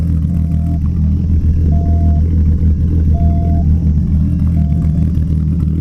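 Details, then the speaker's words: Mk2 VW 12v VR6 drag car, 276 cams, Mk4 head gasket, titanium retainers, ARP rod bolts and head studs, ported manifolds, 2-to-3-inch Cerakoted exhaust: deep, uneven idle with rhythmic loping chop, steady rumble; normal lumpy cam idle. "It has 276 cams, so it has a nice idle chop, and has Mark IV head gasket, titanium retainers, ARP rod bolts, ARP head studs, all that kind of stuff."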